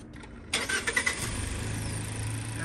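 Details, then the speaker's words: Mazda Skyactiv-G engine after spark plug change (NGK DILKAR8A8), coils retorqued: brief crank, catches and settles into steady even idle; light ticking is normal fuel injector tick, no loud ticking that would indicate an installation fault; healthy start. "all good I don't hear any weird ticking noises so if there was something wrong if you did it wrong you would hear a loud ticking you do hear ticking but that is the fuel injectors actually"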